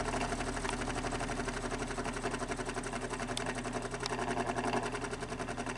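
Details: Fan motor with excess play at the back of the fan hub: a fast, even scratching rasp each revolution from the back of the motor. The blade hub had rubbed earlier and was shaved away; bad internal bearings suspected, motor not yet disassembled.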